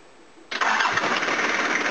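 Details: 1983 Toyota Hiace van engine first proper start after rebuild with pistons, rods, crank and timing belt: short crank, catches at once, even steady idle without knocks or misfire; normal start and idle.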